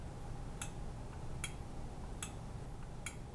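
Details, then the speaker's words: Newly wired Honeywell 4-wire line-voltage thermostat for baseboard heat, breaker on, room about 68°F: single crisp relay clicks over a quiet hum as it calls for heat and sends power to the heater. A normal click. "Power on. It clicked to on. Sometimes you'll hear a click when it calls for heat."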